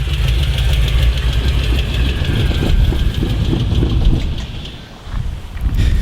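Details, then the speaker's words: 1999 LS1 V8 with big Elgin cam, swapped into a 1982 Chevy C10 with headers and cheap mufflers, engine bought secondhand in poor shape, at idle: fast uneven tick about three per second over rough rumble; owner guesses a failed lifter. "you can hear it ticking real bad I'm guessing it probably munched a lifter who knows"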